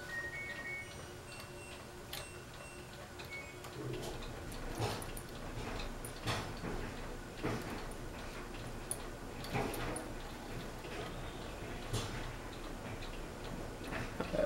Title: Fasco Vanity Fair ceiling fan (Broken Flywheel)